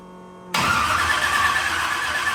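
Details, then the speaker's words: Carbureted burnout truck being rebuilt for a competition, started with timing suspected slightly off. It catches after a short crank and runs thin and uneven, barely staying alive. The owners judge it definitely a fuel issue, with fuel not spraying properly from the carburetor. "It's not spraying fuel out of the front bowl, or out the front squirter. I mean, but it's definitely a fuel issue. Not saying that the timing's not still off a little bit, but it's definitely a fuel issue."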